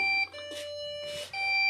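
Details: Desktop PC powers on with no display and nothing on screen or keyboard: a steady high-pitched continuous beep with no code pattern, pointing to a RAM fault; fix is to reseat and clean the memory.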